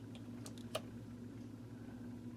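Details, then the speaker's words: Vintage Sears variable timer, model 796.66400 (Intermatic D111 type), after replacing disintegrated main drive gear: light clicks then steady, even low motor hum, gears turning, no grinding. Normal running. "perfect and the little gears are going on the side there so that tells me this is going to work"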